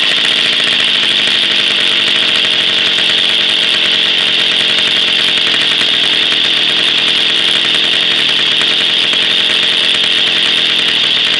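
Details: Jawa 50 type 05 two-stroke with a 1966 engine on its very first start after 20 years stored and a rebuild, without cold break-in, with original points ignition and coil: a steady, high-pitched buzzy drone with even revs and no misses or knocks. Normal running.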